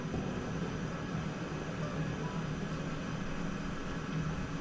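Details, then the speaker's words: Coleman model 243 lantern, cold-blooded, warmed by cracking the fuel valve repeatedly: steady, even hissing roar with a low murmur, no sputter or surging; normal burner roar. "I just keep cracking the fuel open then closing again until it finally starts to heat up and burn nice there we go"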